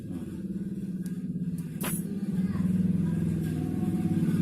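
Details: Honda Vario CBS scooter with a complaint of CVT noise when throttled, during repair: even engine hum with a steady low pulse, no knock or rattle from the drive as revs rise slightly. CVT sounds normal.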